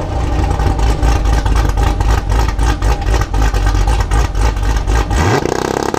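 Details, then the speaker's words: 2019 Camaro V8 with nitrous build, tuned on E85 with a Stage 3 cam and catless headers, on a two-step at 2500 rpm: loud lumpy hold with sharp, uneven exhaust pops; healthy launch control. "Wow now I was inside the car with the windows up and I could hear that those pups are insane out"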